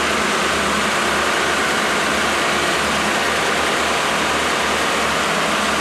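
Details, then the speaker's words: Freshly rebuilt 1987 Mercedes 560SL M117 V8, warm, during its first break-in after 16 years idle, recorded at the front. A smooth, even, quiet idle with a soft steady hiss, no knocks or misses. Normal warm idle. "I mean, not as steady as that engine is right now. It's fairly steady."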